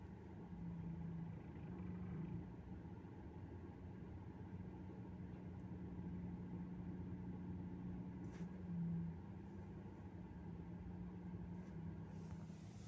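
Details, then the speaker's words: Lada Vesta after fixing a rattle from the filter: engine under load with clutch released in reverse, steady low rumble with no rattle or tapping; the noise is gone. "смотрим ну все нету этого звука значились этим от этого фильтра зараза и было"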